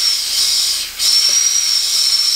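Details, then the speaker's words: Turbo Honda del Sol during a boost leak test: a loud steady high-pitched air hiss under pressure with a brief drop; a large leak at a poorly seated intake elbow, with oil also found coming from the turbo. "but another thing that I didn't expect was this elbow here as a massively you can hear it a little bit"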